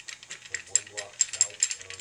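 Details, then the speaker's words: Worn three-way ball valve on a dual-tank sprayer that was leaking chemical from one tank to the other: light irregular metallic clicks and rattles from the loose ball shaking inside; valve must be replaced. "you can hear that ball in there shaking loosely which is not proper not correct so we needed to replace this valve"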